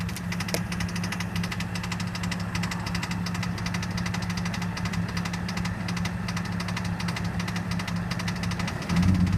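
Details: BMW E46 ZHP fitted with an ESS TS1 supercharger, idling: loose rattling or knocking noise, briefly louder on a small throttle blip.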